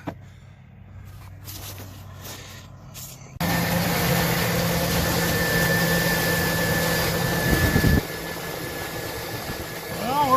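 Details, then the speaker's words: Chevy/GMC LS engine, cold start after updated valve cover install (owner hopes it helps oil consumption, suspects cracked cylinder head): cranks briefly, catches, settles to steady even idle with no knocking or ticking; sounds healthy. "running pretty good actually running don't sound bad just started up it's a cold start"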